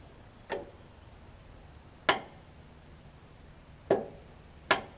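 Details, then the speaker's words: Craftsman riding mower, battery and starter ruled out: four sharp single clicks with no cranking. The starter solenoid outputs only about 8 V instead of 12 V, so it has failed internally and needs replacing. "I'm only getting about eight volts coming out of the solenoid so anything less than about 12 volts is gonna have a bad isn't bad still annoyed and you also hear that clicking noise so that means that something is failed in this solenoid internally"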